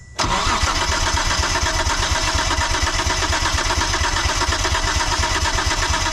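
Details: 1998 Mitsubishi 3000GT VR4, long-sitting, compression test on cylinder 3: steady, even starter cranking with a regular beat and no firing. Readings about 144 on cylinder 1, 130 and 118 on the others. Normal cranking.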